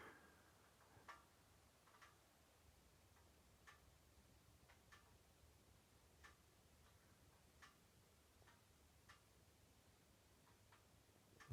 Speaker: it's the clicking of my car engine if you can hear that behind me